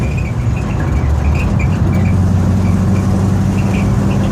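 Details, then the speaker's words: Ford F100 shop truck with Edelbrock 1405 carburetor, timing backed way off, idle not adjusted: low steady even idle with no stumble or miss, smooth now; lacks power, needs more timing. "i didn't adjust the idle at all so it's smooth now"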